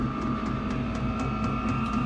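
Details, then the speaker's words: Vevor diesel heater installed in a cabin mechanical room with solar power, running at full output: steady blower roar with an even hum and soft fuel-pump ticks about four a second, pushing out heat; normal running. "It's really pushing out now. Pushing out the heat. I just open the window and you can see it moving the curtains there. It's really pushing out the heat now."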